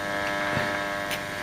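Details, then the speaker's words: Blaupunkt car radio from a Mk3 Ford Cortina, switched on with 12 volts on the bench: steady low buzzing hum with faint clicks at switch-on as the amplifier comes alive and the bulb lights; normal amplifier hum. "We've got life, signs of life. Now that sounded like the amps."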